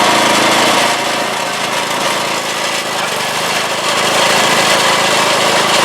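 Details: 1986 Craftsman single-stage snow blower test run after installing a new #35 auger chain and replacing the drive belts, cover still off; steady, even small-engine drone with the auger churning, no slipping, chatter or clatter; normal running.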